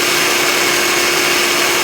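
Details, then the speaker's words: 2006 Ford Taurus 3.0L V6 serpentine belt after replacing a bad idler pulley that squeaked and wobbled in and out; steady, even whoosh with constant low note, no chirp or squeak; belt drive normal after repair. "that in andout motion that the old one was doing has stopped and uh the squeaking noise is gone so we are done here"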